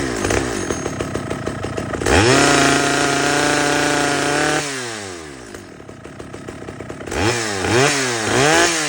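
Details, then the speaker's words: Stihl 011 AVT chainsaw after bench adjustment of the low-speed fuel screw and idle: crisp throttle blips, then a steady, even two-stroke idle that holds without hunting or dying. Normal idle. "As you can hear, it definitely needed some tuning. So, I took it to the bench, adjusted the the low-speed fuel screw and the idle a little bit, and now just listen to this."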